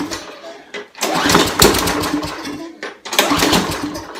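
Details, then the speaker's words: Trash-picked Craftsman push mower with Briggs and Stratton engine, fitted with a spare part before a pull-start try: two short bursts that catch briefly with a ragged sputter and die, debris spitting out; not electrical, fuel delivery fault. "oh it tried the start look at all that garbage coming out of there oh my goodness well I tried to start so it's not an electrical issue so it must be a fuel delivery issue"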